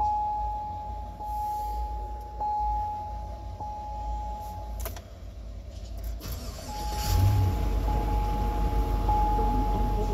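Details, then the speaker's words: Tractor during a morning round of shop cold starts; a door chime ticks, then a brief crank, and the engine catches at once and settles into a steady, even idle; a healthy cold start. "Fires right up like always. Never went dead."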